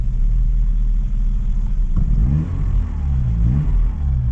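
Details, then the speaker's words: Vauxhall Cavalier with C20XE, still on contaminated fuel, after the three-cylinder terminal short was taped: a deep steady idle that rises and falls smoothly when blipped, with no misses or knocks; running absolutely fine now. "But yeah, let's get this thing onto the um ramps. It's running absolutely fine now."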